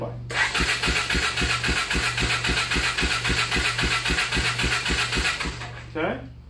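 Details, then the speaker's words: ATV with a wiring issue, solenoid jumped with a screwdriver: steady starter cranking with even pulses near four per second, engine never catches or fires, no exhaust noises; crank, no start. "and one thing you want to listen for is the bike trying to Star so all that's doing is cranking right"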